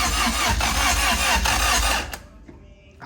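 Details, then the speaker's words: Car cranking evenly for about two seconds without firing; the compression sounds good, and the owners suspect it needs a good battery and more fuel. Cranking no-start, cause unconfirmed. "At least you know it it at least the compression sounds good. Yeah. >> Sounds like it'll start. We just need a good battery."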